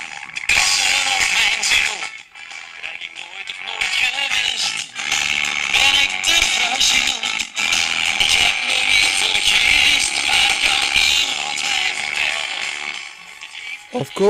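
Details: Aristona SA1020U tube radio playing a station with no antenna: music turns harsh, gritty and buzzy on loud passages, with bad distortion at high volume caused by wrong bias resistors on the output tube grid.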